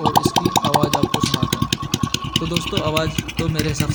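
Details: TVS XL 100cc single-cylinder idling after head/half-engine rebuild with timing and tappets set (tappets slightly loose), oil pump feeding head, cloth placed over silencer; steady even low-idle putter, clean regular beat, no top-end tapping: normal idle.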